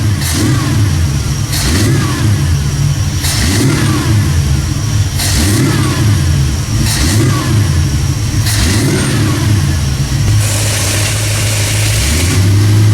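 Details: 1979 AMC Spirit AMX 304 V8, Brawler carb, warm on dyno after throttle-cable fix gave full opening: repeated throttle blips each stumbling briefly as revs rise; lean tip-in hesitation, needs more pump shot (pump shooters later raised to 32).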